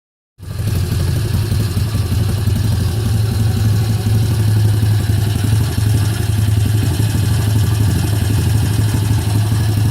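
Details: Kayo YX140E Klassic single-cylinder engine, throttle held in one position, revs dancing from about 2,500 to nearly 1,500: beat wavers and stumbles irregularly; hunting idle and misfiring, cause not confirmed.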